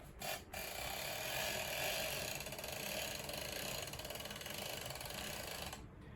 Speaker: And as I begin to let her retract back into the retractor, you'll notice and hear a clicking or a ratcheting sound